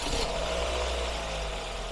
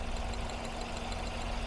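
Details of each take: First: Classic Ford Focus 1.8 four-cylinder petrol, hot, engine light on, lacking power: heavy lumpy uneven idle with shaking from misfires in cylinders 1 and 3; water found in the coil wells damaging the ignition coils. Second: Classic Ford Focus 1.8 hatchback four-cylinder, warm, idling after water was found in the plug well. It had misfired on cylinders 1 and 3 with three ignition coils failed. Every cylinder now works: smooth, even idle with no misfire stumble.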